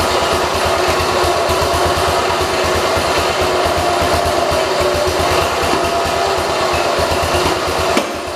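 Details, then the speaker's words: 1968 Kohler-swapped 112 lawn tractor single-cylinder at a steady fast idle with an uneven, labored beat, sounding choked as if getting too much gas; rough running, carburetor adjustment suspected, not confirmed. "I was kind of hesitant shutting it off too because I didn't know if it'd start back up but it also sounded like it was being choked it's getting a little too much gas"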